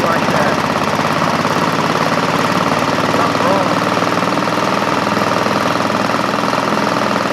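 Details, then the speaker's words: Craftsman GT5000 lawn tractor after woodruff key replacement, twin with about 150 psi compression both sides: loud steady engine with fast chattering shake, running rough, vibrating hard and smoking a lot; cause unknown. "What could doing that and it's smoking a lot too that's so weird"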